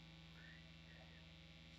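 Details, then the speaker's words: 2018 Gibson Les Paul Classic with P90 pickups and Bigsby, unplayed: steady low buzzing hum; the pickup coils act as radio-frequency receivers picking up environmental noise, suspected rather than confirmed. "those coils of wire in the pickup work as radio frequency receivers and any radio frequency noise that's in the air is going to come through those pickups"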